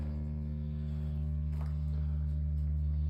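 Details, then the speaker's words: Steady, deep droning hum with strong vibration in a residential basement, coming from where the transit heating main pipe enters the building; residents complained, and the hum stops further along the heating line. "жильцы жалуются что шум какой-то гул идёт Из подвала пришли правда гул какой-то стоит и гул идёт как раз от ввода теплотрассы в подвал тут идёт Транзит у нас и вот от неё гул идёт прямо аж вибрирует"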